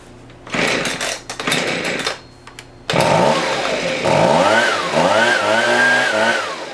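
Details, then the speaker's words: Husqvarna 125B two-stroke after a new piston (old one damaged by straight fuel), idle being tuned: revs rise and drop unevenly, rough and burbly at low speed, so the low-speed screw is a little rich while the high is almost perfect. "the low i think is a little high or a little rich so i think i will lower that"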